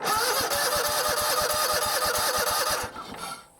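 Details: John Deere GT245 lawn tractor, started with air filter out and no choke: small single engine fires promptly, quick even chatter around three beats a second, no stumbling; normal running.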